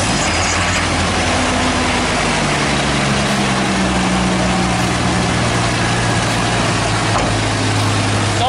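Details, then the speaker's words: 1990 Jeep Comanche at idle after replacing front main seal, clutch fan, idler bearing and alternator bracket: steady low idle rumble under music, no squeal or bearing whir; much quieter, healthy after repair. "much quieter. Is it? So much better. We did it!"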